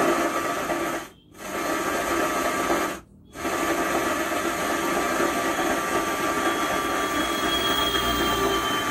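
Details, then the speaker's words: Stranger UB 75T 75-watt 12-volt amplifier, faulty before repair, switched on: constant harsh hiss with faint whine tones and brief dropouts, extra noise instead of clear sound from the output. "आज इसमें समस्या यह है कि यह amplifier इसको मैं जैसे ऑन करता हूं तो इसमें अलग से नॉइस आती है अलग से आवाज आती है"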